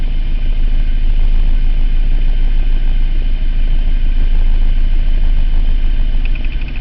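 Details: 2003 Mitsubishi Eclipse GT 3.0 V6 at 92k miles, idling with an uneven stumbling pulse and P0300 random misfire present only at idle; plugs, wires, cap, rotor and air filter already replaced, compression checked, no vacuum leak found.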